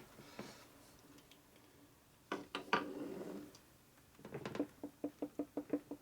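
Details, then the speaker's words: 1983 Harley FLTC 80ci shovelhead motor on the bench during a low-buck rebuild, not running, no seals yet: light metallic clicks about six a second as the crank is pushed side to side; normal crankshaft end play. "Basically you push on this side and this side back and forth. So it's got in play in it. We're good."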